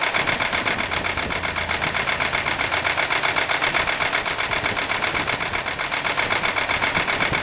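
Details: 1995 Buick LeSabre 3.8 V6 idling with a steady sharp knock, about four beats a second, also heard at the tailpipe, seeming to come from the left side; owner suspects valvetrain knock, not confirmed.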